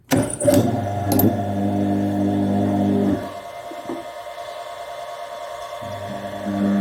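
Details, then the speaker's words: Washing machine motor on the bench after replacing its bearings; hums smoothly and very quietly with no grinding or rumble, a switch sound being normal. "طبعا صوت الموتور باين دلوقتي بعد تغيير البلي. الصوت هادي جدا."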